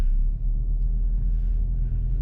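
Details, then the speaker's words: 2012+ Chevy Sonic/Cruze 1.4L, recorded in cabin while driving: deep heavy boomy drone and rattle varying with rpm, steering wheel shakes; worn passenger-side motor mount passing vibration, replaced. "So today we're going to be working on this thing because it's very loud there's a lot of vibration while driving so we're going to be replacing the motor mount oh and you can just hear how loud it is steering wheel shakes"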